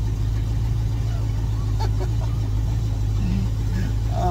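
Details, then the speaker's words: Stingray cuddy cabin boat, owned about 16 years, first start after floating off in Hurricane Ian: engine fires and runs with a deep, steady, even drone, no misses or knocks; healthy running. "there we go this stingrays alive yeah boy y'all just don't know I've had her about 16 years"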